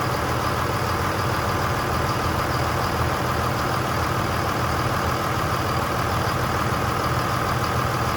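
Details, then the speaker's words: 2002 Dodge Ram 2500 24v Cummins diesel, first start after reassembly and reinstall, following bleeding fuel at the injectors: steady, even idle with a smooth clatter, no knocks or misses, fantastic oil pressure; normal idle. "All right. Has fantastic oil pressure. Sounds good. Doesn't sound like I messed anything up."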